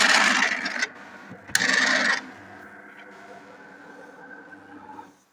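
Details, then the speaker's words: DeLonghi Caffe Corso coffee machine, first power-on: two harsh grinding bursts then quiet hum from the brew unit gearbox; sounds like a dry or non-priming pump, owner suspects a clogged system needing descaling; opened, the brew piston moves very stiffly, which may have damaged the gearbox. "Шум с редуктора заварочного блока. И по звуку как будто помпа сухая, либо не прокачивает, просто трещит."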